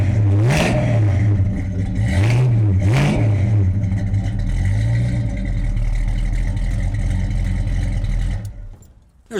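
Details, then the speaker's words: 1970 Cougar Eliminator clone with mild cam, top loader manual: a few throttle blips then a deep loping idle with uneven chop and lots of shaking; lumpy cammed idle. "a whole lot of shaking going on in there. It's got a little cam in it."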